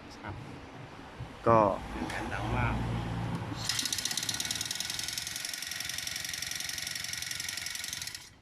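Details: Honda GX35 four-stroke brush cutter that started but would not rev up and died at full throttle, after carburettor replacement and a further fix: catches and holds a steady high buzzing note without dips; running normally.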